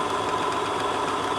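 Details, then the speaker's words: 1962 Sony TC-521 reel-to-reel, motor freshly lubricated, running forward drawing about 80 watts: steady, even whirring drone with a thin constant tone, rougher than it should be; mechanical running noise, quieter in reverse, so that side likely needs lubrication. "let's try reverse that's not so noisy so maybe this is just need some location on that side"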